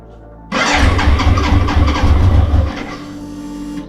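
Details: BMW K100 motorcycle, first start attempt after 22 years in storage, battery reconnected, choke on; starter churns about two seconds with uneven firing puffs, then fades without catching; cranks but won't start.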